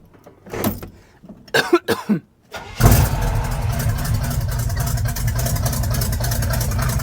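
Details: Quick listen test of a V8 truck with race bullet mufflers; after some clatter the engine fires and settles into deep steady even rumble, no miss or knock; normal idle, healthy engine.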